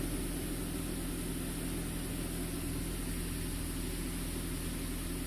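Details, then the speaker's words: 2000 Saab 9-3 SE turbo, idling after refitting the intercooler exit hose that had popped off (loud pop, surging, no idle); now a low, steady, even hum with no misses, knocks or hiss, and no trouble codes. "So, moment of truth. Seems to be running good."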